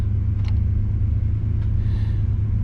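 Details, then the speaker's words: 1968 Chrysler Newport V8 the morning after its cooling system flush, thermostat reinstalled and upper and lower radiator hoses replaced, fighting overheating: smooth, even warm idle at about 1000 rpm set with timing, with no misses, knocks or ticks. "so idling about a thousand that's kind of where I've got it set that with the timing gives me a good start"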